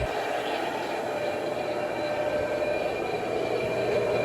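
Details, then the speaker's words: Vintage L&A electric pressure washer barn find, after wiggling a stuck contactor free: steady, even hum with a smooth whir and no knocks, grinding or stalls; belt-driven pump motor running smoothly. "So we're on. Motor's running pretty smoothly. So that's good."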